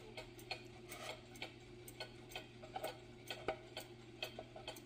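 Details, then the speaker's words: Old Glory cuckoo clock with the pendulum running, after one side of the case was raised from an uneven beat: a crisp tick-tock of about two to three beats a second with equal gaps. The clock is now in beat. "there that's more like what it should be so to get it into beat to get it even I will bend this little guy here and then it will keep time"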